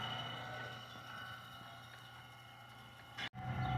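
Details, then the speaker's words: Power in-feeder conveyor on a rebuilt Fischbein sewing pedestal with rebuilt motors: steady, even hum at constant pitch with no knocks or scraping; it sounds healthy. "okay we're going to go ahead and start the power in feeder you can hear it running see it there"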